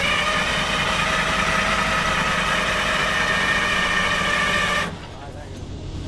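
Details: DROTT excavator diesel sitting about 15 years, some white smoke seen: even cranking drone at about 220 beats a minute that never catches then cuts off; turns over but won't start, cause suspected, not confirmed.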